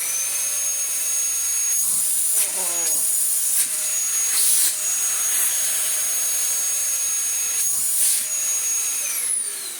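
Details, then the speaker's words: Dyson DC19 T2 Animal after its shroud was cleaned and its hose washed, tested with the bare hose end: a strong, steady high-pitched motor whine with hissing airflow. Suction is normal and powerful. "It should have such raw and powerful suction. It's what makes it quite sad when they don't have it."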